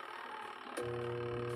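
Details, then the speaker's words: Washing machine whose wash motor only hums weakly, holding a low steady electrical hum with no spin-up; the wash motor is the faulty part. "ah sa kabila umuugong siya pero mahina pag mga ganyan Kung naririnig niyo ay paraang parang gumaganyan pinaka nito ay wash motor"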